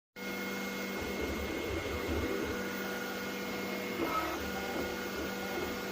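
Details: Creality Ender 3 V3 Plus 3D printer running: steady motor hum with rough gritty grinding that swells and fades with movements; cause unclear.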